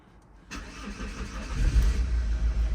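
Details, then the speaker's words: Opel Zafira B 1.9 diesel, won't pull below 2000 rpm; after clearing codes it cranks, catches and runs a lumpy, lopsided idle; third-injector code appears, runs same plugged in: non-working third injector. "Логічно що має з'явитися помилка по третій форсунці і вона є якщо ми надіваємо фішку у нас ця помилка пройде але мотор буде працювати так само це означає що це означає що у нас неробоча форсунка"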